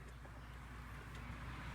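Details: 2004 Pontiac Grand Am, 3.4 L 3400 GM V6, idling with a low, slightly uneven rumble; scanner shows cylinder 6 misfire, spark and coil good, misfire moved to cylinder 4 when plugs swapped, so bad spark plug.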